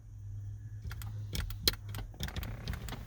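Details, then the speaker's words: Mazda MX-5 with aftermarket automatic roll-up window controller installed: only quick clicks with each switch press over a low steady hum, no motor whir; window doesn't move after the top cycle, controller malfunctioning. "can hear the window clicking as I hit the switch, but obviously nothing's actually happening."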